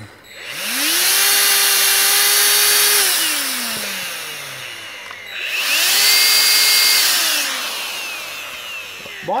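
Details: Dyson DC16 Animal with electronic turbo brush, running on another battery because its own needs replacing: motor spins up to a steady high whine, holds, winds down, then runs a second time just as smoothly; sounds healthy.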